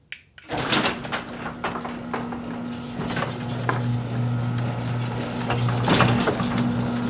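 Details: Garage door opener after fitting nylon rollers and roller stem sleeves on all 10 rollers; a smooth low drone with only faint soft ticks and a muffled rattle, now running quietly.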